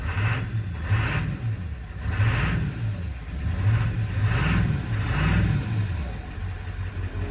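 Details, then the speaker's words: 1999 Ford F250 7.3L Powerstroke diesel just after restarting, following a suspected run-out of fuel. Deep diesel rumble settling into a steady idle with a slight rise and fall in pitch as it stabilizes: normal idle. "I thought my baby broke. Oh yeah. Yeah, she's running good."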